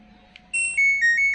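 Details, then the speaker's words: LG Smart Inverter washing machine control module after repair: display now lights and the buzzer plays a bright, loud, clean descending beep melody; buzzer working normally. "Selanjutnya untuk bernya pun sudah terdengar kencang."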